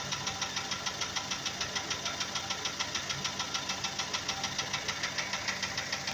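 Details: Hyundai Sonata 5 (TagAZ), Beta engine, idling: sharp even ticking knock tracking engine speed, started suddenly after spark plug change and a thread insert in cylinder 3; internal engine knock.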